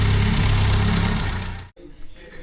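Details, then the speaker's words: Engine rebuilt about 6 months ago, running before a tune: rapid light ticking over a lumpy idle; tappets need resetting. "As you can hear, the tappets need to be reset, and then I'll get into the tune on it."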